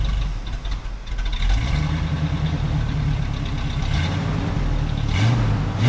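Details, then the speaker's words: 1967 Camaro V8 after 6 years of neglect: idle hunts and surges, rising and sagging without a steady beat. Owner wonders if the Edelbrock fuel pump gives too much pressure. Two glass fuel filters fitted; rough idle, carburetor to be rebuilt. "running pretty funky. Red is good. And the idle th messed up"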